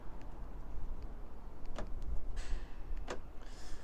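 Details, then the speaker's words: Iveco Daily van after central locking fault repair, mic held close to door: two sharp short clicks about a second apart, each a quick motor whirr and thunk; door lock actuator locks cleanly, working normally. "I don't know if you'll be able to hear this door acat as well so I put my mic closer to that and you can hear the door actuator so you can hear the door actuator going on that side"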